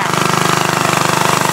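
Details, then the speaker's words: Antique walk-behind tractor small engine under repair running with a hard rapid knock, about twenty sharp hits a second, jackhammer-like; engine knocking. "hear that knocking"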